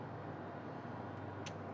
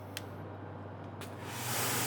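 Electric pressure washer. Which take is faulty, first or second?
first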